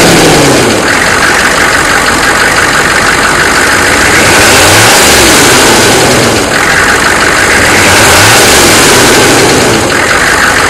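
Diesel idling and blipped with a rough, regular knock under the clatter that rises in rate as it revs.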